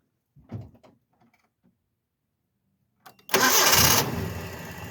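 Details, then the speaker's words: Truck after belt-system pulley repair, alternator charging, belts running true: quick crank, catches at once, even idle with no growl from the belt area and no weird noises; normal idle. "Looking at the belts down there, it looks like the belts are running nice and true. We don't have any issues there."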